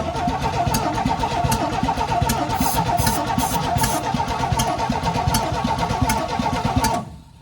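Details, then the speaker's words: 1972 Chevy C10, first test fire: cranking with starting fluid and the throttle open gives uneven pops and coughs but it never catches and runs. The next step is checking for spark at the plug and coil. "It's popping. It is popping though. All right, we'll have to pull the spark plug off here and see if we've got any kind of spark."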